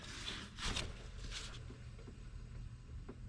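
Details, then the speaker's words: 2002 Mercedes-Benz SLK 32 AMG, engine off during water pump replacement, alternator pulley spun by hand: only a soft whir and brief swishes, no grinding or rumble; healthy alternator bearing. "let's check the alternator nice and quiet"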